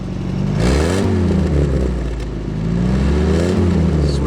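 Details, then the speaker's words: Early-1942 WW2 Ford jeep barn find, light acceleration: revs up smoothly twice and drops back evenly, no knocks or misfires; some whitish-blue smoke but sounds sweet. "give her beans a bit yeah she's got a bit of the old a bit the old smoky smoke but she sounds sweet"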